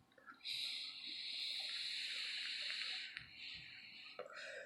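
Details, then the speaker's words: Suorin Drop pod vape, previously dead and revived after being left to dry out: soft high-pitched hiss with fine crackling through a few seconds of draw; coil heating normally again. "and you can even hear that crackle you know when you hear that crackling noise"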